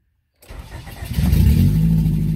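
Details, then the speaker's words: 1991 Honda Civic hatchback EF ED6 after fuel system replacement (new tank, pump, filter), about two gallons of fuel: after a short crank, the engine catches on the second try and settles into a steady low idle; normal start. "it runs look at that amazing all right we have a fully running car now that is great"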